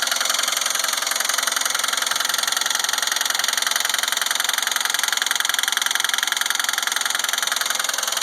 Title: 04 GTP COMP G Engine Knock